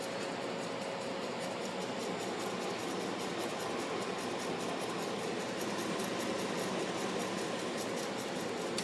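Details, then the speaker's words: 2009 Samsung 18,000 BTU (1.5-ton) window air conditioner at startup on low cool, set about 68°F, around 90°F outside: steady even fan whoosh, no compressor hum; compressor waiting out restart delay after a recent shutdown. "oh damn the compressor didn't start because before this video I made I started it up then I realized till I didn't record shut it down again that's a delay so got wait for it to start damn it"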